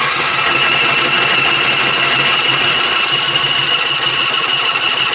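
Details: Propane-powered 1988 Murray race mower (Briggs & Stratton engine), hard to start after sitting, fires up once the gas is turned on. The small engine catches and settles into a steady, buzzy run with no misses or knocks, running normally.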